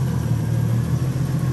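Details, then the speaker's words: BMW E36 325i turbo, M50 engine, after fixing the exhaust manifold leak (oil had been smoking there): steady even idle with low hum, no manifold ticking anymore. Normal idle. "mais il y a plus AUC claquement 0 claquement surtout vous en vidéo vous devez l'entendre bien plus fort que nous même en vidéo je pense ça se voit qu'il y a plus de bruit"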